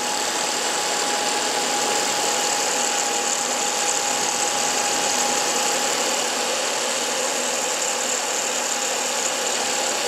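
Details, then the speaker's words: 1995 Packard Bell Legend 408CD (Pentium overclocked to 133 MHz, 2.1 GB drive from 1997), first boot in about four years: steady high whine with fainter mid tone over even fan hiss, no clicking or scraping; hard drive spinning up normally. "So actually we've got, you can hear the hard drive."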